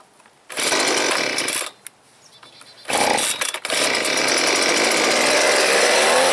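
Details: Husqvarna 125B leaf blower with suspected broken fuel lines (it used to start, run about a minute, then die; carburetor fine). On full choke it catches after a couple of pulls, dies, then fires again and holds a steady high buzzing run.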